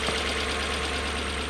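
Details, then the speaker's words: Toyota 1UZ-FE V8 in a Surf/4Runner that was running on four cylinders, after the coil fix: smooth, even idle with a steady beat, no stumble or missing pulse; all eight cylinders firing cleanly. "Turn the key on, push button. Listen to that. Beautiful."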